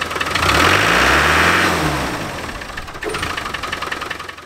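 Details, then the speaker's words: Land Rover Defender 300Tdi diesel during a performance upgrade, boost ring fitted and boost controller wound in a couple of turns: revs rise then fall with an uneven wobble, engine seems starved of fuel or air coming off revs; later reduced by adjusting the boost controller. "the engine seemed to be starved of fuel or air when it came down off the revs do like that very"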